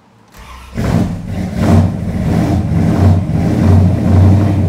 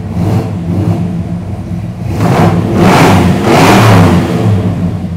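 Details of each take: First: 1973 Chrysler Newport Custom 400 big-block, carbureted, first start after sitting three months of Chicago winter with the mic at the rear: lumpy, uneven, surging idle while cold, oil pressure up to 75 psi, still a little rough. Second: 1973 Chrysler Newport Custom 400 big-block, carbureted, warm with the thermostat open at 175: deep lumpy burble swelling cleanly on two throttle openings and settling back; healthy revving after three months sitting.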